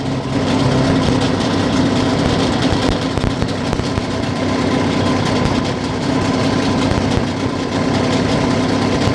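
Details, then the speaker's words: Yamaha 9.9 outboard during carburetor idle-speed and mixture adjustment: low, uneven idle with loose stumbling beat, ready to die; motor tries to stall, then revs rise, later stalls again; unstable low idle. "The motor stalls, tries to stall. The revs risen up."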